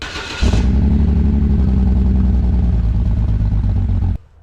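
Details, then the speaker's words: 2006 BMW 325xi with N52 engine, muffler cut off by previous owner: engine catches and settles into a loud, deep, raspy burble with hollow rumble; loud exhaust from removed muffler. "also here in the trunk is the muffler because the guy they bought it from decided to cut it off that makes sense so about that sounds lovely"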